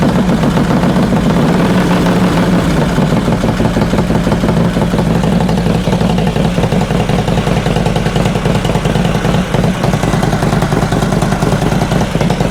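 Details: 2005 Harley Road Glide V-twin after new lifters and pushrods, pushrods adjusted a further half turn: lumpy idle with a faint quick tick, quieter than before but still there. Owner suspects a fouled front plug is causing pops. Light valvetrain tick.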